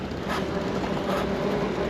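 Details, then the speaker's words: ViVi 500-watt 26-inch e-bike hub drive fitted to an Ameri-Cruiser rat rod trike, riding on level 1 at about 9–10 mph: only a faint, steady hum under road and wind noise; very quiet, normal hub motor running. "It's so quiet compared to all my other trikes, my Terra trike and my Sunseeker. You can hear it, but it's very quiet."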